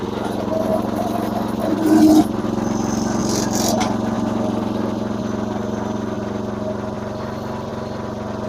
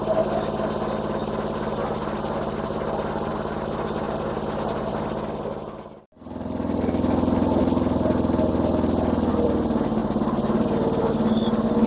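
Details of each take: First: Massey Ferguson MF-7 tractor with new carburetor and fuel lines runs with a steady but slightly uneven, hunting beat; it loses power under load mowing. Owner plans new points and condenser but suspects a governor issue. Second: Massey Ferguson MF-7 tractor under restoration, running with mower blades not engaged: small single-cylinder engine at a steady, even beat of about three and a half a second, no miss or hunting.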